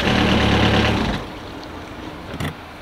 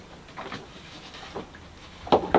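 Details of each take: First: Universal M25 inboard diesel in a Catalina 30 sailboat, starting after a faulty starter solenoid was replaced. Even diesel clatter at a steady idle, running smoothly. Normal idle. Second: Universal M25 inboard diesel in a Catalina 30 sailboat, hard to start: a couple of sharp clicks at the starter button, engine won't turn over; multimeter voltage checks showed a faulty solenoid, which was replaced and the engine then fired up.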